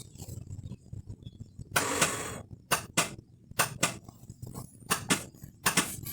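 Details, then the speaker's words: Bajaj 205 auto-rickshaw starter motor, pressing start: short harsh buzzing bursts but the engine never turns over; commutator worn and brush holder bolt broken. "I can hear the noise but uh the motor is not cranking"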